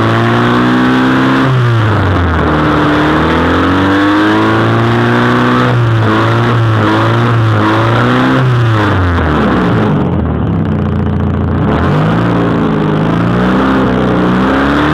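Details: 1992 Honda Accord petrol engine blipped repeatedly, loud and raspy on each rev; suspected exhaust leak, not confirmed.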